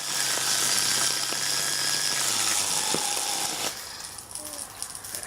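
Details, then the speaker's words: Beater mixer universal motor run on a variac with mains float voltage and water nearby: a high whining motor with rattling buzz sags in pitch, then cuts out crackling as worn brushes lose contact; the motor fails and is dead. "Haha, that's a failure. Yep. It did, Jim. It's dead."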